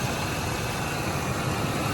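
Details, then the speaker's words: Ford F150 with 5.4/4.6 2V V8 at idle, check engine light with code P0307: deep idle with a faintly uneven, stumbling beat from cylinder 7 misfiring due to a failed ignition coil. "all right so here we are with the check engine light and we put the computer on it and it's showing a misfire in cylinder number seven got a p0307"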